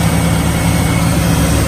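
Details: 2003 Chevy Silverado 1500 with a no-crank, no-start fault, started with a wire jumped to positive: a deep, even rumble at steady idle with no misses, knocks or ticking. Possible faulty wiring or neutral safety switch. Normal idle.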